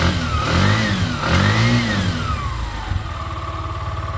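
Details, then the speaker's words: Bajaj BS3 vehicle, engine re-bored again, jump-started on a low battery and not yet tuned: revved up and down twice with a rough, raspy exhaust. The silencer seems to have given out, possibly broken internals (unconfirmed). "ಕಥೆ silencer get of ಆಗ್ಬಿಟ್ಟಂಗಿದೆ ಇದರಲ್ಲಿ out of country ಏನು ಆಗಿದೆ ಗುರು silencer [ಪ್ರಶಂಸೆ] ಕಿಚ್ಕೊಂತಾ ಇದೆ"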